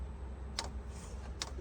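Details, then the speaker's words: 2 kW Chinese diesel heater in a 1997 Mazda Bongo Friendee being diagnosed for an E-07 code, at startup with glow plug and fan on: two crisp quiet ticks over a low hum as the dosing pump primes and pulses fuel; normal. "see if you can hear that that was the Prime so now it just primed it the uh fuel pump is now ticking away down"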